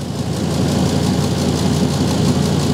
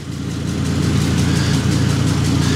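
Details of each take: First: 2005 Ford Super Duty with 6.8L Triton V10, idling after a cold start during a carbon monoxide check: deep, even idle rumble with steady firing pulse, no ticking or puffing; no audible exhaust leak, CO near zero. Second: Lifted 2005 Ford Super Duty, 6.8L Triton V10, idling with a quick, regular ticking or puffing. Owner suspects an exhaust leak, but shops say it is an engine noise, and a stethoscope could not locate it. Rhythmic ticking at idle, cause unknown.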